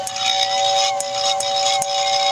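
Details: Lionel air whistle after cleaning the motor brushes and oiling the armature shaft: a strong, steady two-note whistle with a clean hiss over it, full and even, much better than before; the whistle motor works properly.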